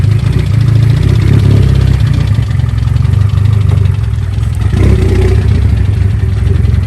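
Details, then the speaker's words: Car with a fender-mounted intake, run after driving in heavy rain. Heavy, lumpy idle with a steady low thumping knock. Owner suspects a bent rod, not confirmed; the oil pan is to be pulled to check. "i don't know what i did i don't know how apparently i bent a rod"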